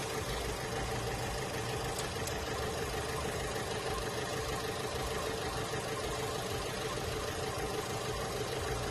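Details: Holden Cruze at idle with a dead miss and very shaky engine: uneven stumbling beat about every half second instead of a smooth hum; a failing ignition coil is suspected.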